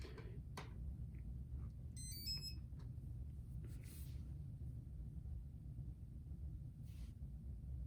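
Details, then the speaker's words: Antweight combat robot with brushless motor: short run of high stepped beeps over a quiet low hum, the speed controller's normal standby signal meaning everything is working. "one thing about these kind of designs that use brushless is if you can hear that that beeping basically means that it's in standby mode and everything is working"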